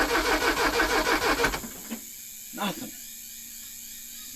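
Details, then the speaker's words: Porsche 924 Turbo after sitting 24 years: starter cranks in an even rhythm for over a second and the engine never fires. The failed fuel pump relay cuts power to the coil; the relay was jumped to get spark. "So you'll have no power to the coil without the fuel pump relay. Fuel pump relay is shot."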